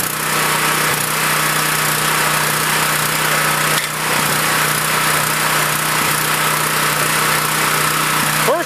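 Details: Generator that sat unused for a few years, started after fresh gasoline and the spark plug refitted, using choke: steady, even engine drone with constant hum, no misses or surging, running like new.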